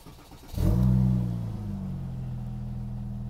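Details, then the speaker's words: Porsche 911 Turbo, Mezger engine, 146,000 miles, Tiptronic, aftermarket intake, ex-rental: starts with a loud bark then idles with a deep raw booming drone, turbos audible; muffler found completely missing underneath. "Sounds pretty good. I can hear the turbos. It sounds like an exhaust or missing an exhaust."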